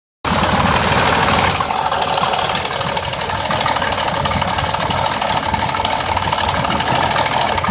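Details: 2004 Mazda 6s 3.0L V6, 170k miles, new plugs and coils, pre-cats just replaced after being nearly fully clogged: uneven idle with quick irregular tick and light rattle; owner suspects the bank 2 VVT solenoid needing replacement, unconfirmed.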